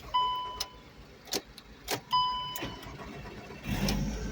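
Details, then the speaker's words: 2008 VW Beetle with faulty instrument cluster (cluster cut off, earlier key-not-programmed errors): key-on chimes and clicks, brief crank, engine catches and runs despite dead cluster. Normal engine start. "All right, so I have it started. I have it running."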